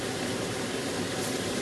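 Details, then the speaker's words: Household range hood extractor on speed 3 after cleaning and refitting the greasy filter: smooth steady airy rush, no rattle or flutter; noticeably better suction, normal fan operation. "Right, now let's turn it back on. And we'll put it on 3 again. You can hear the difference straight away."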